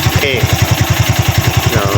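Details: Used Honda Wave 110i motorcycle at idle: steady thumps with a dry metallic cam chain clatter from the cylinder head, caused by a failed cam chain tensioner.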